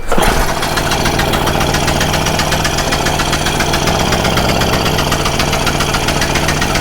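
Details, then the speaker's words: Stihl Magnum BR800 two-stroke blower at full throttle with choke off, after the high-speed needle is turned in slightly: loud, steady, high-pitched howl with no surging or stumbling, and a bit more pickup. Running normally. "so [Applause] that thing definitely had a little bit of a pickup"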